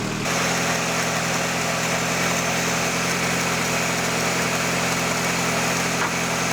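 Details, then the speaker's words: VW Caddy engine after service, first turn of the key: smooth, even tick-over with steady rhythm, no misfires or knocks; idling cleanly, ignition timing checked. "Well, there we go. First turn of the key and it's running, ticking over really nicely."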